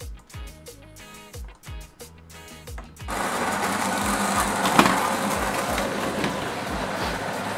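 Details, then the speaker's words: Nivona 930 coffee machine; customer reported howling during rinse and brewing. Grinder runs with a steady, even grinding rush, no howl or rising whine; sounds normal. "Ale ja na razie żadnego specyficznego wycia nie słyszę."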